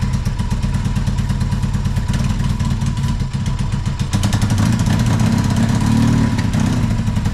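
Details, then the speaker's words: 1981 Yamaha XS650 first start after years sitting: deep steady twin-cylinder chug at a brisk idle with some top-end clatter; started quickly and keeps running. "wow very nice I was surprised it started that quick"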